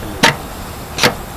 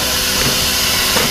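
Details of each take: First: Compressor pump dialed down to recirculate during startup: sharp, evenly spaced clicks a little over once a second with quiet between, slow idling while stirring; normal. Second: Compressor during check and startup: steady sharp high-pitched hiss over faint machine rumble, air escaping at a fitting missing its gasket (empaque), possibly sealing itself off; compressed air leak.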